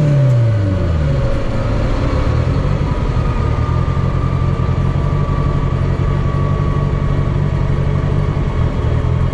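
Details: Drag car test drive after upgrades: a brief rev, then an even, steady low drone under light throttle. The driveshaft feels smooth with no vibration or driveline rumble, a healthy drivetrain.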